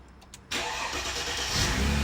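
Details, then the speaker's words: Car treated with an oil additive containing top-end treatment: quick crank, catches at once, smooth even idle; owner had noticed a slight top-end noise, none heard now, and plans an oil flush and fresh oil; healthy start. "absolutely sweet as you like I think he has no top in there whatsoever it's just me I picked up a little bit on on the top end but I think it just needs a good run"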